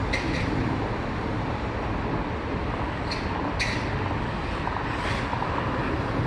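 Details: Arrma Kraton RC on its first 8S run with a capacitor pack fitted; a steady, even rush of motor and drivetrain noise with a few short hissy bursts, no knocks or grinding: normal, healthy running.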